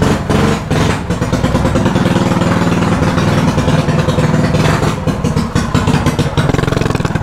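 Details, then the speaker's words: Stock mini bike single-cylinder engine idles steadily with an even low putter after carburetor idle adjustment, fixing bogging from too much air and gas with a quarter-turn race throttle. "see a lot better because it's just getting too much air and gas and it's it's a stock bike can't handle that bro"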